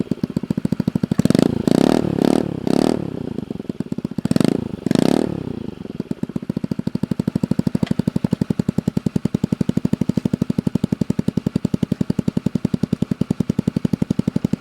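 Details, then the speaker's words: Honda Ruckus 49cc scooter with repaired broken-weld super shorty exhaust: a few sharp throttle blips then steady even single-cylinder idle putter, no rattles or leaks; sounds healthy. "Alright, for a super shorty exhaust, this does not sound that bad."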